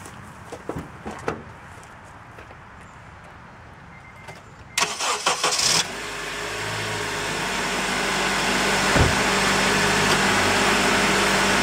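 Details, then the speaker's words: 2006 Honda Element, previously running warm, after new water pump, thermostat and radiator, started for 10-minute run before head gasket combustion leak test: light clicks, then steady even idle; runs well, owner hopes head gasket is fine. "This thing runs so good. I really hope it's not the head gasket."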